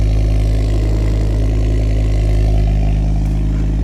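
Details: Ford Focus ST-2, cold, started with a booster pack and showing no engine lights: a smooth, deep, even idle with gentle blips that rise and settle cleanly.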